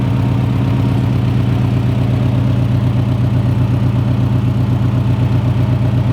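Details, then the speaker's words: FRS, first start-up after turbo install, turbo pre-oiled by cranking first; still untuned and not yet at operating temperature. Steady, even low idle with no belt squeal or ticking, and no leaks seen so far: normal idle. "that belt's not squealing oh boy this is exciting"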